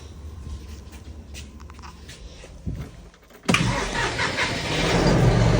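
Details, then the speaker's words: John Deere 5075E tractor diesel after replacing its 2019 battery, which had caused a no-start: short crank, then it catches right away and settles into a steady, even run; normal start. "fires up like it should"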